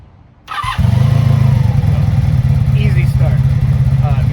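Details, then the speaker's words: 1983 Honda Magna V45 VF750C 750 V4 motorcycle, already warmed up, restarted: starter catches within a second, settles to an even steady low idle; normal warm start. "so we already got it warm warmed up but we'll do it again fire this thing"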